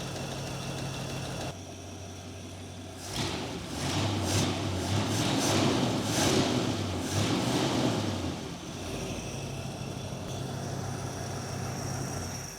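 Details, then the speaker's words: 1939 Chevrolet sedan with a V8, dual four-barrel carbs and Corvette valve covers, revived and running off fuel in the bowl before the tank is hooked up: a steady, even low burble with a brief throttle blip, back to a smooth idle with no choke needed. "Runs so good. No choke, no pumping the gas."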